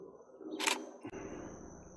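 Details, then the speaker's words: Canon EOS Rebel T7i/800D in auto mode, shutter half-pressed to focus then shot: one sharp crisp shutter snap then soft mechanical settle; normal shutter release. "gently push the shutter and it'll focus and shoot and there you go it's that simple"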